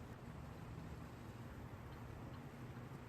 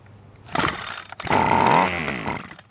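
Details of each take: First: Ryobi two-stroke string trimmer after carburetor service and replacing a broken primer bulb, stored for years: buzzing steadily at an even idle, no misses, stumbles or hunting; running normally. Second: Ryobi two-stroke string trimmer stored for years with a broken primer bulb, air filter off, choke off, starting fluid sprayed into carburetor: catches, revs briefly in a rough burst and dies, pointing to carburetor/fuel delivery fault.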